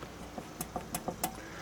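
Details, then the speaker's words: 2013 Mercedes SLK350 (R172) on lift, wheel rocked by hand with mic close: light irregular clicks, play at 12 and 6 o'clock, not at 9 and 3; front wheel bearing play, owner's wife heard occasional front-end noise; bearing to be adjusted. "There's play at 12 and 6, not at 9 and 3, just the 12 and 6."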